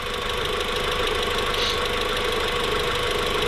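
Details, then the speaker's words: Newly built engine in a VW Mk4 at first startup, warming up at idle, steady and even with a light ticking top end and no hiss or misses; sounds like a healthy Mk4. "yeah this is this sounds great this sounds like a mark four"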